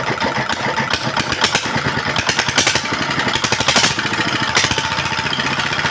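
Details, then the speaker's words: Single-cylinder diesel after repair, previously racing up on its own with smoke and uneven running despite a new nozzle: now steady, even chuffing idle about five beats a second, no high pitch, smoke gone, more stable than before. "ठीक है, डीजल मित्रों, अंत में diesel engine वापस सामान्य हो गया है , ध्वनि से ही सही, अब कोई उच्च पिच नहीं है, फिर धुआं बिल्कुल खत्म हो गया है, और ध्वनि है पहले से अधिक स्थिर"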